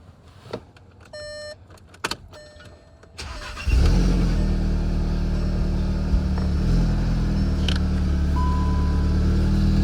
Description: After months of work, late nights, and a full engine swap, my MK7 GTI finally fires up for the first time.